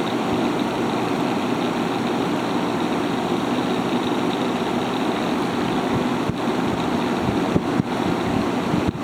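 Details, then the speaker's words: Haier ESA410J-RGB 10,000 BTU window air conditioner, possibly around 15 years old, on high fan, evaporator side: a strong steady rush of air at about 1,700 RPM, up from about 1,500 on low, with an even hum and no rattles; running normally. "There's our power output right there. This thing is very strong. pushing just about 1,700 RPM."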